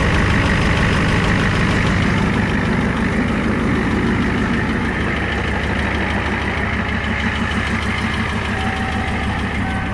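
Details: 1994 Ford F-250 7.3 IDI diesel with newly installed turbo, CAT injection pump, cold start without glow plugs (about 80°F, humid), fired on third crank; steady, even diesel clatter about three knocks a second with smooth low rumble, normal healthy idle.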